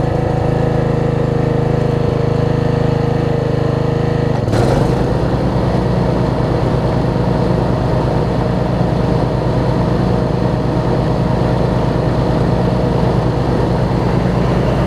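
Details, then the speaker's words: Snapper RER rear-engine rider after a replacement cylinder head and brand-new carburetor: starter cranks about four seconds, engine catches and settles into a steady, even putter with no misses; normal running. "So, runs good. I don't know what else to say, except let's start it up. And electric start works great as well."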